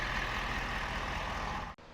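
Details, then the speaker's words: 2023 Ford 6.7 high-output diesel just started after an oil change to Hot Shot Secrets 10W30 PAO full synthetic, pre-filled: steady, even, quiet idle with smooth rumble, no typewriter ticking (heard before only with Rotella); normal idle. "she sounds the same but pretty quiet no typewriter ticking or anything like that"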